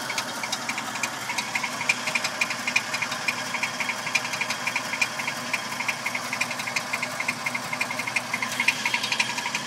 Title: Tacoma rattling noise